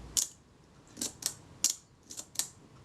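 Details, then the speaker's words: Kodak Retina IIIc shutter after cleaning, slow-speed test at 1/8 s: short snap with barely any buzz, running fast; slow-speed retard gear train not engaging the speed-setting cam enough, needs moving inwards. "That's fast. That means I need to move the retard gear train inwards for greater engagement with the cam."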